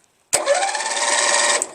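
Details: 1996 Craftsman LT1000 42 hydro lawn tractor, new starter motor just installed, cranked with spark plug out; short, brisk, even whir with no grinding or clicking: normal starter cranking.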